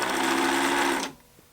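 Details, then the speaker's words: Pfaff Hobbymatic 807 sewing machine running with a steady rough rubbing drone after presser foot bar adjustment, noise barely changed; source not found, owner suspects the bottom of the machine. "it might be slightly less noisy but there's still a sound i don't love yeah no it's still pretty much the same"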